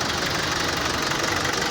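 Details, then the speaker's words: Mitsubishi L200 Triton common-rail diesel at idle: hard, sharp knocking over harsh clatter, seeming like an injector fault, but idle rail pressure reads about 1,120–1,200 bar versus the 250–450 bar spec; the pressure control valve's control signal is suspected. "ele tá com castanhado muito forte no motor dando a impressão que pode ser bico injetor a e tá trabalhando com uma pressão de combustível na marcha lenta muito alta"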